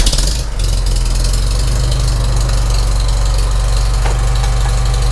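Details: Farmall Super M tractor driving a retrofitted IH sickle mower via its original lifelong belt, first try: loud even low-pitched engine beat holding steady with no knocks or slipping; tractor and belt-driven mower running normally.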